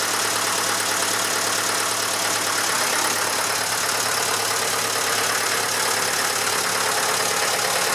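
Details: Massey Ferguson 35 (835) tractor with Standard 23C diesel, first start in at least a year: steady, even diesel clatter at idle with no misses or knocks. It runs well with some blow-by expected for its age; the owner suspects a coolant leak from a failed hose clamp.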